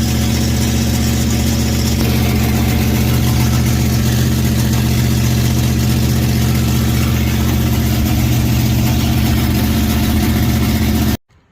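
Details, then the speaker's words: Big-block Mopar Sweptline truck after a camshaft swap to a new Purple Shaft 44-284, after a 15-minute break-in at about 1000 rpm with the exhaust disconnected. Loud, steady V8 fast idle, firing evenly with no knocks or misses: normal running. "Well, the cam break-in went well. Did it for about 15 minutes, and it's running good."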